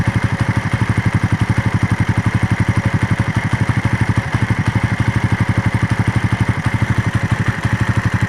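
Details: Raider motorcycle after a long ride: even, fast clatter at about four pulses a second over steady idle; abnormal engine noise, cause unclear.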